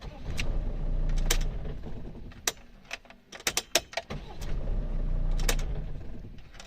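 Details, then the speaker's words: Mercedes Sprinter van with idle speed wandering, worse cold: engine churns over, then a short burst of hollow clunks as it catches and settles; dual-mass flywheel knocking when starting and shutting off. "Ну не знаю передаст ли камера но я отчётливо слышал то что маховик стучит когда глушишь когда заводишь"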